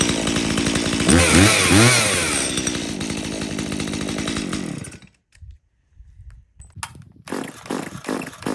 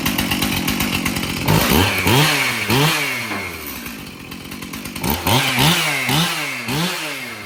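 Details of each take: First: Stihl MS170 chainsaw that doesn't run well, started outdoors after its fuel was checked clean with no water and the bar oil found full: ragged revs, then an uneven surging idle before cutting out. Poor running, cause not yet confirmed. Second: Stihl MS291 chainsaw, sold new in 2019, test-run outdoors before service: repeated throttle blips, revving up and dropping back crisp and clean with quick response; runs normally. The loose bar nut vibrated off.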